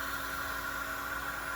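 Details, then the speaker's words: Twin Walbro 450 high-pressure fuel pumps (274 part number), after fuel pressure dropped from about 58 to 43 psi with popping and breaking up under load: this pump gives a steady, even electric hum with constant pitch, no surging or rattle, so it sounds normal. "there's a huge difference in the way the pump sound now that one sounds normal"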